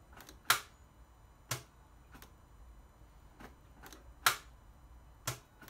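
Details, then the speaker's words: 2011-12 Ford Focus 1.6 diesel: turning the key gives only sharp single clicks about once a second with no cranking, intermittently worsening until it won't start; starter solenoid clicks but motor doesn't turn, starter motor suspected failed (about 90% sure). "Just click, click, click. Not a lot going on. It's been intermittently getting worse, to the point now where it won't start at all."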